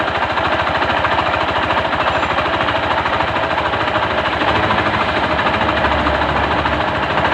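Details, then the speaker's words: Honda Beat FI scooter with a noisy engine first suspected at the CVT: rough, rapid knock about three per second from the front of the engine; a worn crank main bearing knock. "suaranya ada di depan ya suaranya ada di bagian depan kita coba bongkar yang depan dulu ya"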